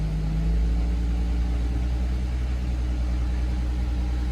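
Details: 2005 Acura MDX after replacing a blown 15 A fuse that caused crank-no-start: engine now runs with steady, smooth low idle hum, no knocks or misses.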